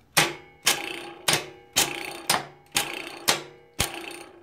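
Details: CB550-engined go-kart electric shifter: a custom turnbuckle links the solenoid to the shift arm. Crisp single clacks about twice a second, each snapping and fading fast, as the solenoid pulls in cleanly to shift.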